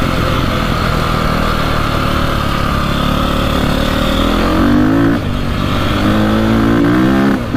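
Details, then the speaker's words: 2002 KTM 400 EXC (sold as a 450), warmed up after a fix for bogging and misfiring: strong steady drone, then clean rising revs with only a slight hesitation on the first blip and a tiny backfire. Much improved, runs normally. "sounds pretty good you can still hear like the slight hesitation at the start but it's it's really good compared to what it was"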